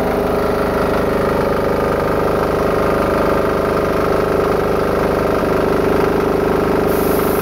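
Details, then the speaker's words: Diesel-engine-powered air compressor after removing a check valve so the pressure unloader works better: steady even chug under light load, no misfire or knock; normal running. "In this engine, you could hear the load was reduced. The RPM went up a little, and it stopped, it sputtered a litt"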